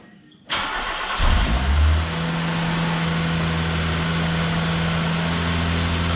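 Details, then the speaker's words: Start-up after the exhaust back box was bolted to the centre pipe, having been left unbolted, on a believed-standard exhaust: cranks, catches, then a steady, even idle with a smooth, subdued note and no blowing or rasp. Much quieter than before and sounds healthy. "So that's now much quieter than before. But it's a nice sound to say that at this point we haven't done a lot of work to the engine. It's pretty good."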